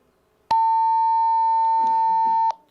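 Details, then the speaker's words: DMR radio on the club's first DMR repeater: radio keys up, round trip to repeater denied because the time slot is busy (someone else keyed); a steady two-second ~900 Hz talk-deny tone instead of the normal chirp. "that means that my radio made the my my my radio made the round trip to the repeater it got to the repeater and the repeater said no you you may not transmit now why i can't transmit it could because somebody"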